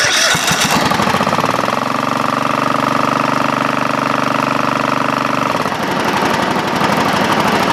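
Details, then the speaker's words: Craftsman GT5000 lawn tractor twin right after Woodruff key replacement: cranks, catches and runs with hard shaking vibration and a rattle, then falls off. Compression is about 150 on both cylinders, and it is smoking heavily; cause unknown. "vibration power that Vibra could vibrate like that wrong okay eggerts what could be wrong what could possibly be wrong experts experts what could be wrong"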